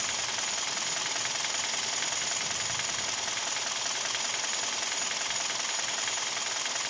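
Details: Kia/Hyundai G4KD Theta II petrol engine, recorded from inside the cabin: steady, fairly regular knock about three a second at idle; owner suspects piston knock with vibration, also present at 1500 rpm.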